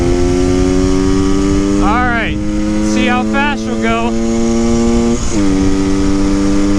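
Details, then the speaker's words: 1974 Honda MT250 Elsinore two-stroke after tuning fixes, top-speed run, first time reaching redline: crisp wail climbing cleanly through the gears at wide open throttle, earlier crackling gone; healthy full-throttle run. "I don't hear that crackling noise anymore it's not making that noise that's a good sign that's the first time I've actually redlined it it would never make it before"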